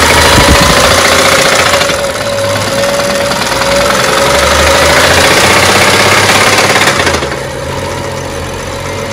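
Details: BMW petrol engine idling with a steady, rhythmic knocking tapping, about three knocks a second: engine knock.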